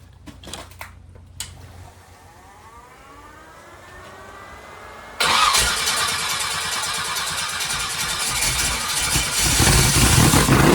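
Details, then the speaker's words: 388 small-block Chevy V8 for a T-Bucket hot rod with vintage Hilborn mechanical fuel injection, first startup: quiet clicks while priming the stacks, then catches into a loud lumpy roar that holds; normal start-up. "Try again without fuel leaks. It sounds good. Yeah, it does. I like it."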